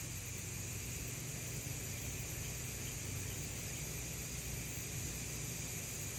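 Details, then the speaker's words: New electric pressure canner with pint jars, coming up to pressure before its automatic 5-minute timer starts: steady even hiss of steam from the vent, no sputter or surging; normal steam venting during pressurization. "You might be able to see a little bit pressure escaping again. I can definitely hear it here."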